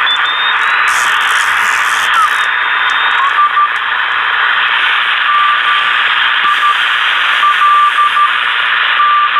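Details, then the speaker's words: Yaesu FT-747 after repair of a no-receive-on-any-band fault, on the CW band. Heavy steady hiss with faint Morse tones keying; S9 line noise on the lower bands, probably from a passing storm. Receiver works fine; normal operation on a noisy band. "Someone talking, and just so you can see about the noise here on the band today, we have an S9 of line noise down on the lower bands. It is really terrible, which, you know, it's probably got a lot to do with this storm that's coming through outside also."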